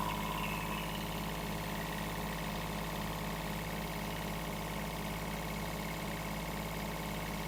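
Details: Kubota B7001 small diesel tractor at a settled idle after about 10 minutes running, following alternator replacement, new radiator hoses and G11 coolant; even, steady chugging with no knocks or misses, charge light out, charging normally, temperature fine.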